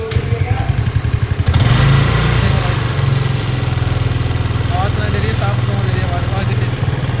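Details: TVS Ntorq 125 BS6 scooter engine noise at idle. A light, quick, fairly even tapping sits over the idle; tappets were found loose, so this is valve tappet noise needing clearance reset.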